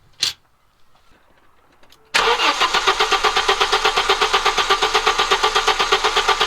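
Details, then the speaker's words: Audi 2.2 Bosch K-Jetronic with new old-stock Bosch injectors, mixture screw turned one turn leaner: starter cranks evenly, no firing; owner thinks sensor plate needs more angle as it is almost fully shut, later starts after reconnecting cold start valve. "it's gonna mean it's going to need more angle and sensor plate because that's almost fully shut now"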